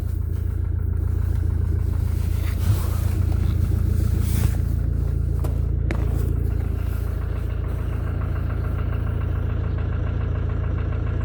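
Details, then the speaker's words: 2014 Mercedes with the 651 diesel, about 300,000 km, idling cold with the hood open: a steady, regular knock of about four a second over the usual clatter, the same cold or hot; owner suspects somewhere up top near the biturbo. "Вот так вот она стучит на холодную, на горячую."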